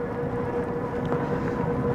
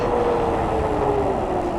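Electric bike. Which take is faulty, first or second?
first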